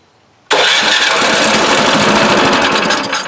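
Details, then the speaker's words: Craftsman 26 Quiet snowblower, model 247.886940, no-start, given a squirt of fuel: catches instantly, roars about three seconds, then sags; runs only on prime, gummed carburetor. "so this is what I thought it was, just a gummed up carburetor. So let's get this carburetor off, see what the problem is, because it doesn't want to start now."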